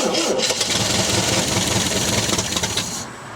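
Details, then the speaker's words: 1974 MGB GT, sat unused 29 years, first start attempts: labouring crank that sputters and barely catches before fading; ignition timing found too far advanced, being retarded, hard start; back carburetor float bowl leaking. "i was just uh advancing to timing a little bit there it's it was too uh well retiring the time and i think it was too far advanced"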